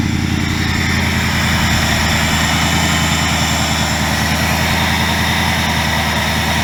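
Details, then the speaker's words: 2000 Mustang GT with a swapped Lincoln Mark VIII 4V V8, after fixes including ECU board cleaning for a sputtering problem: deep, even idle burble with no stumbling, sputter or misfire; running much better. "all right so as you guys can see this thing is running much better"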